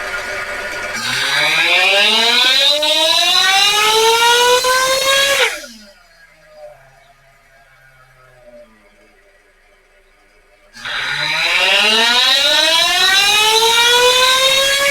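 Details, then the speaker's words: Ielasi-tuned Terra EVO nitro RC engine on the dyno at heat cycle seven, tuning the high-speed needle: two hard pulls climbing to a high scream with faint roughness near the peak; it breaks up slightly at top end. Cause not confirmed. "I heard him break up a little bit on the top end there. We might be able to squeeze another out."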